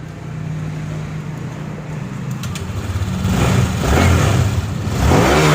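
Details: Honda Click 150i after engine rebuild (new connecting rod kit, piston, rings, pin, head gasket, water-pipe O-rings; original crank bearings; coolant filled): smooth low idle climbing cleanly through throttle blips, no knocks or rattles; healthy.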